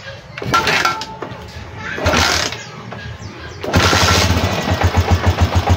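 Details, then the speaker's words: Honda TMX125 Alpha motorcycle fitted with an aftermarket TMX155 gas tank: a few rough cranks, then the single cylinder catches and settles into an even, steady putt with no knocking. Normal idle. "So, i-start natin para lang marinig nyo na umaandar yung ating TMX."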